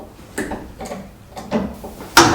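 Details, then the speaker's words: Citroen Relay self-converted camper van, rear suspension creaking and knocking only on uneven ground, reproduced by jacking the van up. Four sharp creaky bangs about half a second apart as the body shifts. Owner suspects worn rear leaf spring bushes, not confirmed. Rear suspension creak. "Right, I think it's the bushes on the rear leaf spring."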